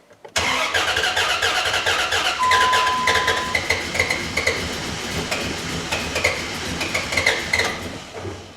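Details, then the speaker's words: Replacement 4.7 HO V8 from a Jeep Grand Cherokee in a Dodge Ram 1500, after jumping time: fast starter cranking without firing. The gauge reads low oil pressure; owner suspects it is flooded. "still saying low pressure i don't know what the deal is guys do i have no oil pressure now well no it doesn't want to run it's like flooded or something"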